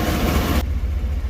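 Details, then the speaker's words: 2015 Chevrolet Tahoe V8 after fixing a cylinder 2 misfire by replacing the ignition coil: deep, even idle with steady low rumble, no stumbles or shaking; problem solved. "wala na okay na sol ng problema"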